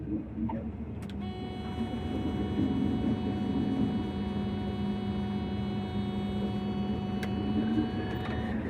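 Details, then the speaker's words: Combine feeder house during corn harvest, after its keyway was welded and the part pounded back on. It runs as a smooth, constant drone with steady whirring and no knocks or grinding: normal running. "Well, sounds like it's going."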